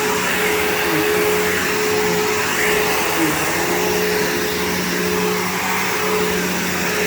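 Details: PowerForce 3522-6 vacuum bought cheap on eBay, motor running: steady high-pitched roar with constant tone, no rattles or grinding; the vacuum motor sounds healthy.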